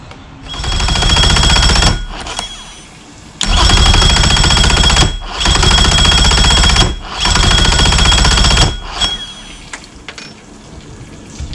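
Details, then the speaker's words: 2005 Mercury Optimax 115 two-stroke outboard after a used PCM replacement, out of water: four cranking bursts of about 1.5 s that keep stopping and never catch; cranks but won't start, owner suspects a low battery. "It's like cranking and it's stopping. Cranking and it's stopping. Now I'm afraid it's like gonna seize up."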